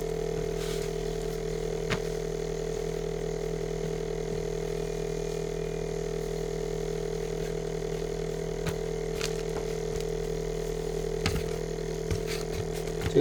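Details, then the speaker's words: Samsung Zipel SRT686FVIS refrigerator, rear panel open: steady low hum with continuous fine buzzing rattle from the loose condenser mount; pushing the condenser stops it, and newspaper wedged beneath it cured it; condenser mount vibration rattle. "이제이 소음의 원인이 어이 응축기의 응축기가 응축기로 응축기 구정이 잘못되어서 뭔가 어 소리가 소음이 소리가 나는 걸로 보입니다"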